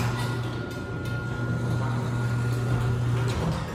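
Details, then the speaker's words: Neighbor's garage door opener for comparison: quiet motor, low steady hum and light mechanical noise, good install, unlike the owner's buzzing, vibrating LiftMaster. "this motor is quiet [Music] yeah the motor is quiet in the garage do we either squeaking but the motor is working perfect it's a good install"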